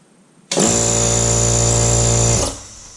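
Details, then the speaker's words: Craftsman 4-gal 1 HP oil-lubricated air compressor (921.166380), first start after repair of a motor that only hummed and was locked up, motor cowl off: clean start into a steady, even hum. Normal start and run, but it then builds no pressure; head suspected. "Okay, that sounds good. Let's see if we build any air pressure."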